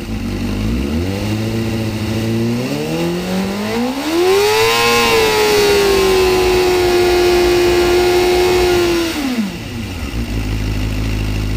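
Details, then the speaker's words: Vehicle whose fuel pressure holds 43 psi at idle but drops while driving, fuel delivery test failed, tops out at 117 mph in 6th; earlier cut out above 8,000 rpm, owner suspects fuel pump: now revs cleanly to redline and back; normal free revving. "w I know I hear it actually it's revving how it should rev right now which is confusing me"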